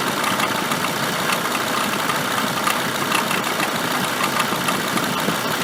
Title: Avec bruit moteur